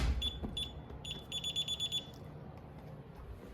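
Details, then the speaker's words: Fire alarm panel piezo sounds short high chirps at a slower trouble cadence rather than a quicker supervisory beep. The panel shows no active troubles, so it is a 'ghost' trouble with an unknown cause; a new building's temperature thermostat was initially suspected. "monitor temperature in there, but it sounds like it's too slow for a supervisor. Supervisors do a little bit of a quicker beep. Sounds more like a trouble."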